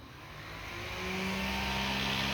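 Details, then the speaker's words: 12-24 volt cooling fan in off-grid solar greenhouse, switched on by summer mode: whir builds over the first second then settles into a steady, even hum; fan running normally. "that will turn on my big 12 to 24 volt fan in here, which will help cool off the area a little bit."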